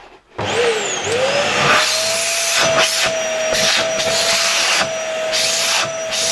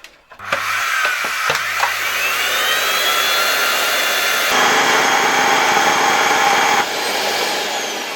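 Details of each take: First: LG V-3340D vacuum cleaner after its loud-running motor was replaced with a new no-name Chinese motor, dust bag refitted: strong, steady high whine with a clean rush of air, pitch holding even, very good suction, no smell; normal running. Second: LG V-3340D vacuum cleaner, original motor with the casing removed, which had become loud over time: harsh high-pitched roar with a gritty edge and steady whine; a worn bearing is the suspected cause.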